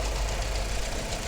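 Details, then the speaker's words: Engine just after start, fuel pressure 40 bar, cam/crank sync reported OK: rough, clattery idle with busy metallic rattle; timing chain rattle, suspected failed tensioner, blamed on oil not being changed. "there is quite a bit of a rattle coming from that area that doesn't sound normal to me or maybe I'm just imagining it but I can definitely hear a rattle coming for there now this car is suffering from timing chain rattle"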